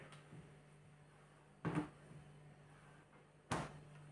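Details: Refrigerator door swung open and shut: two soft thumps over the steady fridge hum, with no creak or squeal. This door's hinge is fine, unlike the creaking middle door.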